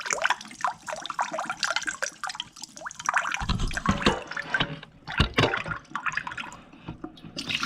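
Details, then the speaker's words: AO Smith under-sink reverse osmosis system from Lowe's, just installed: water spits and gurgles in uneven bursts, as if air is in the line. Per the instructions it gurgles about 2 hours while building pressure, so likely bleeding. Sputtering faucet flow. "Okay, got the water turned on, read through the instructions, and this will gurgle for about 2 hours until it builds up pressure."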